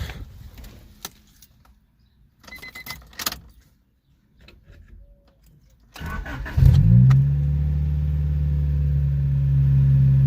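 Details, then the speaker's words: Boosted Honda Civic, after a Sea Foam treatment: brief crank, catches straight away into a smooth, steady idle. Starts right up with no starting issues since the Sea Foam. Valves still need adjustment for ticking. "Starts right up. No starting issues now ever since the seafoam."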